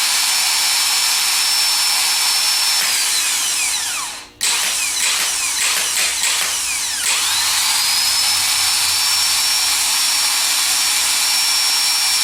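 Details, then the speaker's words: Rebuilt Denso starter on bench free-run test, powered from hot wire for about 10 seconds: steady high whine spinning up to even speed, brief dip then back up, smooth run; normal healthy free run. "So we're going to try and hear a nice smooth run, and we want to hear it achieve a certain RPM like this."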